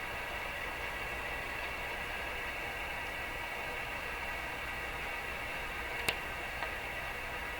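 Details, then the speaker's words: Rogers 11RA651 shortwave radio after capacitor replacement: only a soft steady hiss and one faint click, with no crackling bursts. Reception is clean, though volume is still weak. "Yeah, I don't think this radio is crashing anymore."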